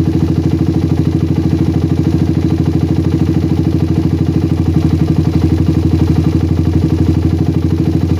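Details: Single-cylinder motorcycle with PWK carburetor that ran rich at low RPM, after the fix and air-screw rebalance: steady, even thumping idle holding constant even when the slide is pressed for a long time, no hunting or stumbles; normal idle.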